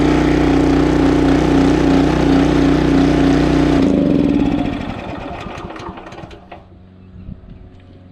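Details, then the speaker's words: Honda GX340 petrol engine on an auger after reassembly; runs evenly a few seconds then cuts out abruptly, as before; oil full, stop switch working, oil sensor ruled out; starts then stalls, cause unknown. "that's what it was doing before just cuts off immediately"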